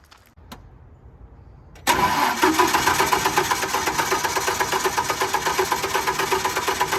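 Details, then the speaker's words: Generac 50 kW propane generator bought at auction: starter cranks at a steady four beats a second but it never catches. The low fuel pressure light went out, yet no propane seems to arrive; owner suspects the tank is nearly empty. "the low fuel pressure light went out so that's good let's see nothing check that gas i don't think we're getting any"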